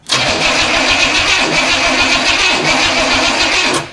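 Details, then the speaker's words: Studebaker first start attempt, used distributor of unknown condition suspected bad; starter cranks steadily about four seconds with even whirring but never fires, confirmed no spark. "Yeah, we don't have spark, so... All right."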